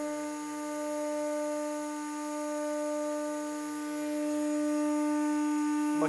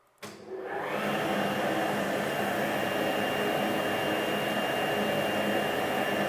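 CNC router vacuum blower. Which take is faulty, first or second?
second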